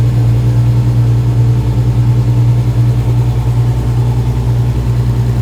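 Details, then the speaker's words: Freshly built RB30DET with BMW 7-speed DCT in 1950s Ford Popular Anglia, first start, oil pressure about 54–70 PSI; deep even idle pulsing, no misses, crisp healthy-sounding engine. "Sounds crisp. Limited. That sounds sounds nice."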